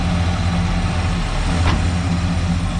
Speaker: as you can hear it runs smooth it it runs really really nice